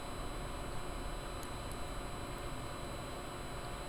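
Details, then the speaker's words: PCcooler DT360 ARGB Display liquid AIO, pump set to 100% with fans on medium profile, mic placed close to the pump: soft steady hiss with a faint high even tone, no rattle or grinding; normal healthy pump operation. "Going to do a sound test. I'm going to place the mic near my pump. This is how it sounds like."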